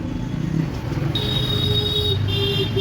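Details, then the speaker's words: E-rickshaw traction motor run with the key switch during a service, before it is opened up: steady motor hum with a clean high tone and no squeal or grinding; the motor sounds normal. "तो motor आवाज़ देखें वह ठीक है। Sound quality भी अच्छी है। और कोई भी चीखने की आवाज़ नहीं।"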